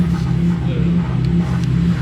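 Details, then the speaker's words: BMW petrol engine right after doing donuts: idles roughly with an uneven, lumpy drone that dips and surges, car shaking, smoky burning smell; misfire suspected, cause unconfirmed. "Uh-oh. What is that? That sounds pretty bad, bro. Oh, hell no. Uh-oh. No? You have a scanner? No? Guys, you guys heard the misfire, right?"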